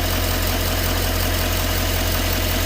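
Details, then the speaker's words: 2011 6.6 Duramax diesel after the GM PIP 4826C coolant line fix: steady, even idle with a smooth low rumble as idle ramps up, and the engine-bay buzz is no longer heard. "But I don't hear it right now. Now it's ramping up idle. Well, I don't hear the noise anymore, guys."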